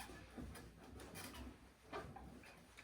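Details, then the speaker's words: Bar stool/swivel chair with gas spring: irregular creaking and short squeaks as it is rocked and turned, dry metal rubbing on metal; to be lubricated with WD-40 and grease. "knackt und quietscht hört ihr das das nervig oder"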